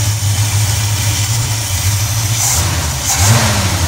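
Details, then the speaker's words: Engine with Edelbrock 1405 four-barrel carburetor cleaned after a failed fuel filter filled it with debris, float freed by tapping: steady low idle throb rising into a smooth rev, no stumble or miss; idling better than before. "but it's sitting here idling. I have not revved it up yet, but right now it is idling better than it has the last few days."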